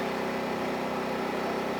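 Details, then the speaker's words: Champion 2500 W starting / 1850 W running dual-fuel generator (100899), no load, in garage at night, mic an arm's reach away, output 122 V: smooth steady even hum, no knocks, surges or hunting; healthy and quiet. "would indicate that this generator really isn't that loud. Again, you know, I'm sitting here in a garage. It's about 9:30 at night. I am confident enough that this thing is quiet enough I'm not going to be making my neighbors mad."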